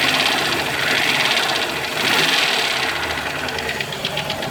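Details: 2000 Ford Explorer 5.0 V8, recently revived after sitting with a bad fuel pump (pump replaced): fast light ticking about three per second over steady idle; cause unknown.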